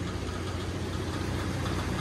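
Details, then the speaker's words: Jeep XJ engine on its first start after the project build: a harsh clattering knock over an uneven, lumpy idle, first feared to be a rod or spun bearing but found to be a failed timing chain tensioner, plus a misfire. "pretty much when that happened uh we thought it was like a rod or spun bearing we were freaking out but luckily it was just the uh the timing chain tensioner so thank god and and a misfire"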